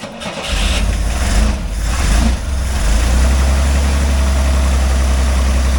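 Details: Corvair that sat in a field for 20 years, after fuel pump testing: engine catches after a short crank and settles into a smooth, steady low idle with no misses or knocks; normal start and idle.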